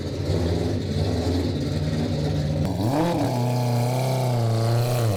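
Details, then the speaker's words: AWD 4-rotor rotary car on the road: smooth steady drone rising and falling with throttle under road load, no knocks or rattles; pressure and temperature good, running normally. "Pressure, temperature, everything, it feels so solid."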